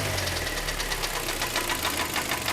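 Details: 2011 car with Korean G4KD engine, knocking and burning oil before overhaul, heard at idle under the open hood: fast, even metallic ticking over a rough idle, steady with engine speed; engine knock.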